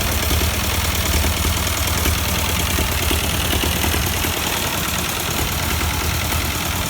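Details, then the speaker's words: 1952 Ford 8N tractor that sat for years, running at idle: lumpy, uneven low chuffing with a skipping beat; one cylinder dead and missing, suspected bad plug or carburetor, later traced to a stuck-open exhaust valve. "of course it's probably still the carburetor a little bit you can hear it missing"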